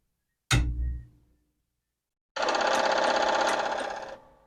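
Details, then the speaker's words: Commodore PET 4040 disk drive power-on: single thunk, then under two seconds of even whirring buzz with no head chatter; drive 1's stepper-motor pancake spins round instead of head banging, something suspected missing, cause unconfirmed. "See, that thing is spinning round and round. And I don't think it should be."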